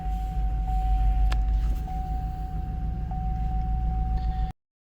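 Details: 2005 Cadillac Escalade 6.0L LQ9 V8, parked five years, P0300, after swapping injectors on cylinders 2 and 6 (plugs, wires, coils already tried): uneven lumpy low idle with stumbling beat; misfire still on cylinder 2, now also 4.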